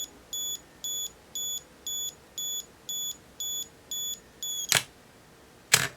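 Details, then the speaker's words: Olympus OM10 35mm film SLR with 50mm f/1.8 lens: self-timer light and crisp beeps about once a second through the countdown, then two shutter clacks; self-timer working normally. "now I've set that to self timer and then we're going to push the button here we see the light here and we hear the beeping"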